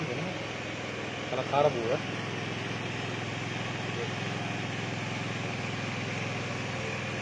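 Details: Honda Beat with a standard engine and a newly fitted PE24 carburettor, before rejetting and while still tuning: a lumpy, uneven idle pulsing three to four times a second; running rich, needle to be changed.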